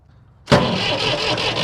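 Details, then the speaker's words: Massey Ferguson 135 diesel tractor (tractor #2) cranks steadily but won't fire; lines cracked at the injectors show no diesel coming through, cause suspected fuel delivery, not confirmed. "Nothing. I should have diesel coming out of there."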